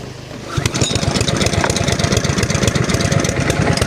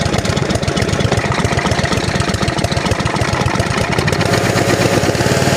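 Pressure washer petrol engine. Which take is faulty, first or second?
first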